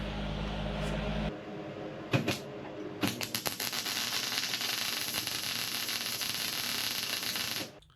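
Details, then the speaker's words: MIG welder at chart-recommended settings with the gun held far away, excessive wire stickout; ragged crackling arc with sharp pops instead of a smooth sizzle, heavy spatter, less gas coverage, risk of wire burnback. "See how much wire is sticking out? I'd say that's excessive. Yes, it welded, but there's a lot of spatter."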